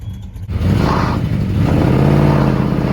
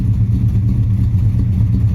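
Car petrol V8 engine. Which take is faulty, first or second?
first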